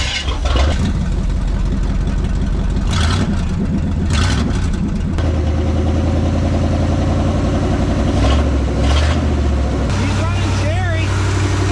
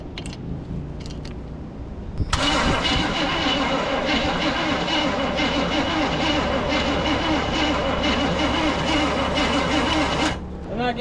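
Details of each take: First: Abandoned small-block Chevy V8 truck after a decade in the woods, running on temporary fuel: deep steady rumble idles without stalling, with a few throttle blips; engine running fine. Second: Truck abandoned in the woods for over a decade, no fuel reaching the engine yet and spark uncertain: starter churns slowly, about three turns a second, for eight seconds without catching. Slow crank, no start.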